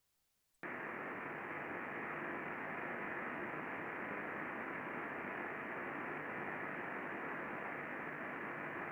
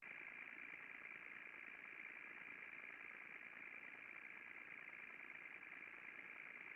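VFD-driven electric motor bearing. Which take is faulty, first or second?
first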